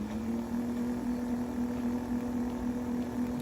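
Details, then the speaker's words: Roughly 2004-vintage Golden Buzzaround XL mobility scooter's 24 V drive motor, cleaned of heavy grease after a nine-beep error code, runs on 12 V bench test both directions with a steady, smooth mid-pitched whir. "it's working okay on 12 volts try the other way around backing up seems to run nice and smooth and everything"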